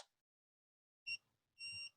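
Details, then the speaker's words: Old Honda CB150R with Greddy vacuum gauge, low-battery alarm set at 11.2 V; lights switched on drop voltage below 11.2 V, triggering repeating short-long-short electronic beeps. "Saya nyalakan lampu jadi di bawah 11,2 di sini sudah ada perhatian bunyi oke"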